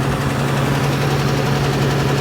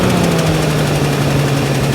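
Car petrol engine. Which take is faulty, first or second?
first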